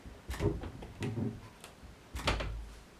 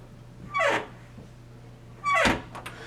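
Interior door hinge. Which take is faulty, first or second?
second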